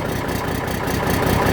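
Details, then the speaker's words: Cummins 444XT Big Cam diesel, cold after about a minute and a half of running: rough, lumpy idle with a whoop-whoop skip heard in the exhaust, a dead number 3 cylinder from a bad injector; an exhaust leak is also present. "You can hear it in the exhaust. You hear that whoop, whoop, whoop, whoop, whoop, whoop. That's a direct skip coming right through the"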